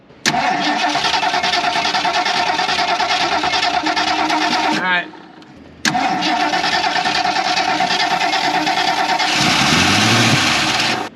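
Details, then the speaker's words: 1977 Mercury Grand Marquis, parked 10+ years, cranks long with only a couple of weak catches that won't keep running; owner suspects it isn't getting fuel and the carburetor may need a rebuild. "I'm gonna once I get it kind of running let go and I'm gonna try to take it from there up here I don't think it's getting fuel"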